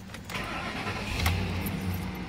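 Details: 2005 Lincoln Navigator V8 after replacing the cylinder 3 spark plug and ignition coil for a P0303 misfire, with zero codes after a test drive: brief crank, clean catch, smooth even idle with no stumble; normal start.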